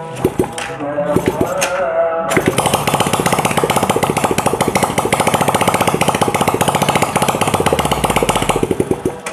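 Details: Old Honda Legenda motorcycle after servicing that cured smoking, fresh oil added, tested without the exhaust fitted. After handling noise it settles into quick, even firing with no misses or knocks, music behind; running healthy.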